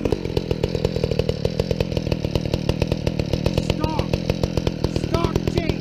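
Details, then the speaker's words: Two-stroke chainsaw with new skip-tooth chain: rapid sharp popping bursts with an uneven stumbling beat over a buzzy drone; runs rough, cause unclear, though it keeps idling. "that sounds terrible I'm going get a screwdriver walk over to the house and back and the thing is sitting there idling that's a good sign"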